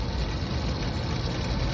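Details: Rooftop belt-driven restroom exhaust fan after replacing the motor (old one had bad start winding, locked up): even, steady low rumble, no rubbing, squealing or knocking; drawing about 5.3–5.7 A, under the 5.8 A rating; normal running.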